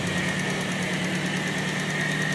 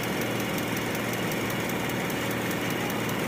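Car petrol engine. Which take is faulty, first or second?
second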